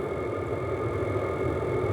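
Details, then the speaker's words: Stationary diesel heater set to minimum power: steady even hum and soft combustion roar, no surging or popping; running smoothly at low setting. "Il est ralenti. Je vais lui demander au minimum."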